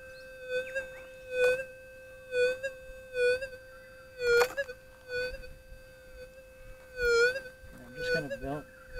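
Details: Whites SPP metal detector, gain on factory preset, ground balanced: a steady mid-pitched threshold hum keeps breaking into brief warbles and dips every couple of seconds, an erratic hiccup of unknown cause that balancing cannot remove.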